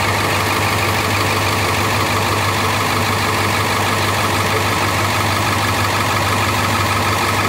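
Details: Rear-engine bus with International T444E diesel at idle: loud, busy idle with slightly uneven chuff and exhaust puffing from several exhaust leaks; owner suspects a problem with one cylinder.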